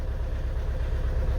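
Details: Renault Megane 2 1.5 dCi diesel idling with raised revs and a check-injector warning: an uneven, lumpy low beat. Code P0301 shows a cylinder 1 misfire, with that cylinder dead from a stuck injector.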